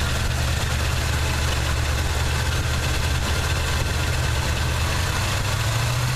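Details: 1979 Chevy truck, 350 V8 with automatic choke: steady low idle with a slightly uneven, lumpy exhaust beat. Plugs are clean and unfouled and compression is sound. The idle misfire's cause is not yet pinned down.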